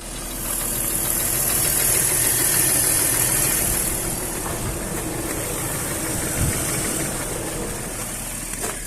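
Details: BMW M54 engine with a knock; rough idle with a loose, uneven knock about four per second over the drone, cause unclear; engine knock.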